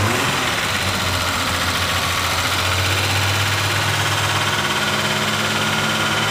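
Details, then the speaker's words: Classic car with overdrive, very cold, on choke, idling indoors just after new plugs were fitted; revving a little better but needs warming. Loud, uneven idle with an irregular lumpy beat and no steady rhythm; rough cold idle, still rich. "it definitely revving a little better you know it's cold as all heck and these things are so cold but you need to really warm home upon the choke for a little bit"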